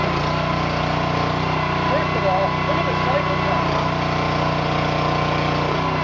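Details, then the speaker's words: New Honda GX200-clone single-cylinder engine on a finished Split-Fire 2265 wood splitter: steady, even drone with hydraulic pump humming underneath, no misses or knocks; normal running. "Got the motor on, got the pump mounted, had it running at idle, led the hydraulics a little bit. Everything seems to be working just fine."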